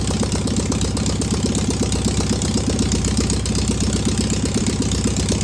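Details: Single-port engine idling after its first start on a known good carburetor: even, steady beat of about four pulses a second with no stumble or knock. No smoke, a good running engine.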